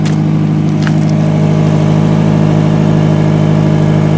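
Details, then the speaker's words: 2000 Camry with 179k miles after misfire repair: smooth idle with steady low drone and soft rhythmic puffing tick about three per second, steam rising underneath; exhaust leak from suspected rotted-out pipe, no misfire. "yeah you can see the steam coming up from the exhaust somewhere down in there it runs it drives it works running absolutely perfect obviously you hear the exhaust because of that but"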